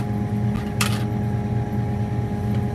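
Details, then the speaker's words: 1972 Ford Mustang Mach 1 idling after the owner turned the idle speed down, possibly too far: slow, lumpy, deep droning idle with no rise in revs; low idle speed, cause suspected, not confirmed. "And I did tone it down, but it kind of turns out I may have bringed it down a little too much."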